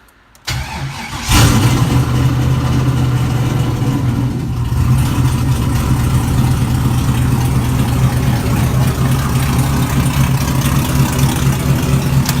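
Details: LQ4 V8 swapped into a Fairmont, running on Holley Terminator X, freshly wired: cranks, catches quickly and settles into steady even burble with no misses or knocks; healthy start and idle.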